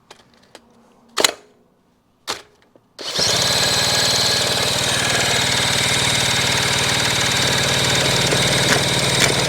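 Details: 1975 Kawasaki KE125 motorcycle, freed from seizure with rebuilt carburetor, good spark: after two sharp knocks a steady fast whirring crank about four turns a second with no clear firing; cranks but won't start.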